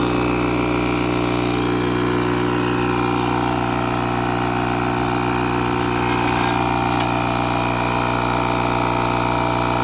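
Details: Buture Beta07 jump starter's built-in air compressor inflating a 33-inch tire from 5 toward 40 PSI, reaching 36 before a heat shutdown; steady fast buzzing chug with constant pitch under load; normal running.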